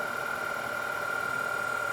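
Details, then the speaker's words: Denso 120A alternator with external regulator, off a Grand Cherokee, bench-tested at about 3,000 rpm into a drained battery, excitation raised to about 10 A charge: a steady, clean high whine with no growl or rattle, normal charging. "as soon as I crank the excitation up we can hear this up we can hear the sound is changing of the alternator"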